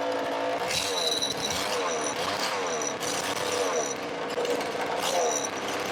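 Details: Roughly 20-year-old 50cc two-stroke mini moto engine, exhaust temporarily held on with elastic bands and a cable tie: buzzy, high-pitched revs climbing and falling with the throttle; picks up and runs without stumbling.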